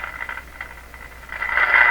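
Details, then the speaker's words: Canadian Westinghouse Model 636 tube radio, in preliminary tests before repairs: hissy static with irregular crackly bursts, not volume-dependent; a tube with too much bias, briefly pulled out of cutoff by signal peaks, is suspected, in either the audio or radio circuits. Intermittent crackling. "I'm imagining that's either happening in the audio circuits or it's happening in the radio circuit"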